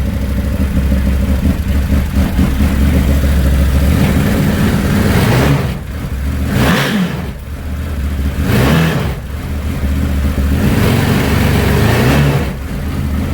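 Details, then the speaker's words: Can-Am Maverick 1000 with the CVT clutch removed, engine alone at smooth idle then clean repeated revs rising and falling without rattles; motor sounds healthy despite reported crank issue; maintenance light went off. "I mean, it seems pretty good."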